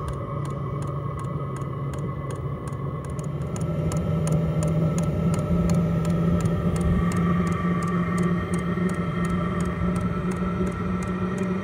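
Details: H Calory diesel heater at startup, powered from a portable power station. The fuel pump ticks regularly while the fan hum climbs in pitch as it spins up; normal startup and warm-up.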